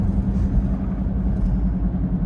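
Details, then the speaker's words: 2006/07 Honda Civic Hybrid, 183,000 miles: steady humming while driving and steering left and right; the owner suspects a wheel bearing but thinks it might be the tire. "I don't think that is the tires though that's making the noise. Yeah, that's it. So it's making a humming sound."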